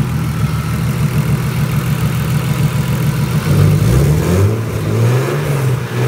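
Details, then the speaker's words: Turbo S52 six in an RHD BMW E30 touring, after fitting Deka 60 lb injectors: steady, even low idle with no stumble, all six firing cleanly; normal idle. "Yep, so I'll fire it up here for you. Runs just smooth as silk now, which is awesome."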